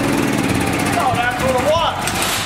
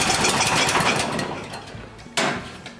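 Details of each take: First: Honda GX340 engine on a Wacker generator, after reassembly with the original insulator and carburetor and the correct gaskets fitted. It fires and holds one speed with a steady, even drone, no misses, surging or knocks; normal running. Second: Small generator with carburetor problem, new aftermarket carburetor fitted without fixing it: engine speed rises and sags unevenly, nearly dying then picking up; lean hunting, suspected intake air leak, low-oil shutdown ruled out.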